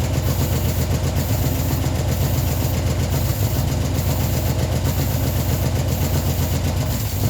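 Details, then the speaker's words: Ford Escort neglected 14 years, revived after flooding, idling only on the fuel in the carburetor bowl with fuel supply not yet sorted: even, low, steady idle with no misses or stumbles; running cleanly. "So yeah, now it's running nicely, just on the fuel in the bowl, and it just idles really nice."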